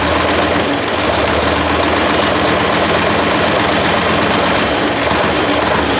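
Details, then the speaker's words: 1973 Mack R700 with Mack 865 V8 diesel, first run in 20 years after injection pump rack repair: loud, dense, steady rumble with busy clatter, smoky after throttle; rough idle after long storage. "that just a little smokey smoke stage when I let go that made me a little nervous dude we just smoked out everything oh she runs man that's been a long time coming"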